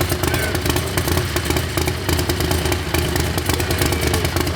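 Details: Predator 670 V-twin drag rail, methanol-burning but fired on gasoline after fitting a bigger turbo. Steady, even beat at fast idle with no knocks or rattles. It has oil pressure and runs healthy.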